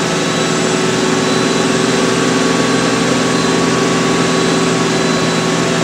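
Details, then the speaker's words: Miele W562 washer, Minimum Iron 30°C with Short and Water Plus, load of woollens/hoodies; final spin run-up then back down to 1,200 rpm, smooth steady whirr, constant motor tone, no thumping; nicely balanced, normal spin. "and then it goes back down to 1,200 it's gonna be I think the nice and balanced it's good"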